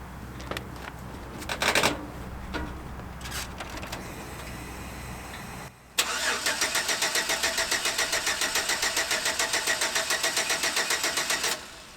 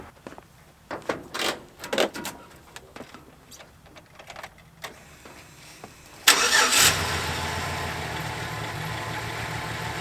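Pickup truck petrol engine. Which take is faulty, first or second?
first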